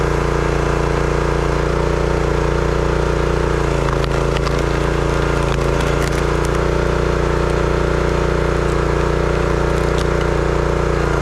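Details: Brute 30-ton log splitter, Briggs & Stratton engine (9.5 ft-lb gross torque, roughly 5-6 hp), after no-start repair: holds a steady, even drone while splitting wood, no misses or surging; running healthy.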